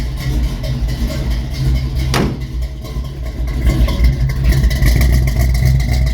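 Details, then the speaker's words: 1971 Chevy C10 350 small-block V8, cold start after sitting three months with starting fluid: rough, lumpy idle with uneven beats and stumbling rhythm; not firing on all cylinders. "oh hey she's running she's alive not no cylinders but it's R is it not no I need some more yeah sounds a little a"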